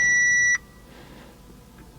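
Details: Audi RS5 at key-on before first start attempt: one clear high chime about half a second, then quiet cabin; battery charge warning.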